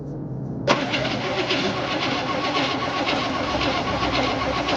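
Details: 1968 Chevy Impala V8 that sat 31 years, with a new condenser and adjusted points: starter spins the engine with a steady rapid churning, but it never catches, before starter fluid is added.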